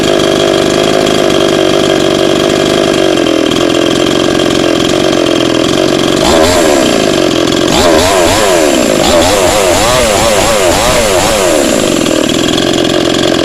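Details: Cheap model 5200 two-stroke chainsaw, freshly started after choke use, only carb idle/throttle screw turned down slightly, mixture needles untouched: crisp steady idle buzz with clean throttle blips; normal idle.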